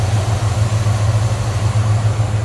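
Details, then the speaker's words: 1969 Chevrolet C10 with a 350 small-block V8, automatic and HEI ignition, heard in the engine bay: steady, even low rumble at idle with no knocks, misses or ticks; normal idle. "sounds good looks good nice tiny clean engine bay"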